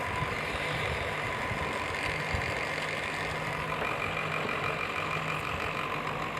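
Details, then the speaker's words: Table fan after its parts were realigned and retightened: a steady, even whir with no rattle or scraping; the noise is much improved and the fan runs normally. "आवाज है जो कुछ सुधर गया है। बहुत सुधर गया है इसका आवाज।"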